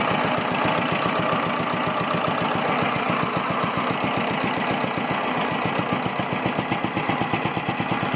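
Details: Single-cylinder air-cooled Petter diesel on a homemade mini dumper, sitting about 10 years and revived after freeing the injection pump and the stuck injector needle. A steady, even thump holds a regular firing beat throughout, with no misses or knocks. Normal running.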